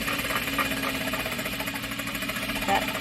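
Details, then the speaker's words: Juki DDL-8700 industrial sewing machine while sewing: fast, steady rattling tick keeping pace with the stitching, the normal sound of the oil pump drawing oil from the oil pan. "that is the um it's the pump that's pumping the oil"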